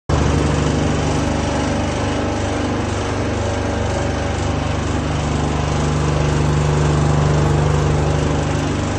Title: # ID Fan Abnormal Sound.